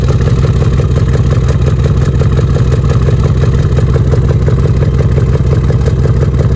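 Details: 2013 Jeep Grand Cherokee with a loud rhythmic uneven exhaust chuff, about three beats a second, plus lifter tap and smoke; P0305 cylinder 5 misfire on the left bank from a worn camshaft and lifter.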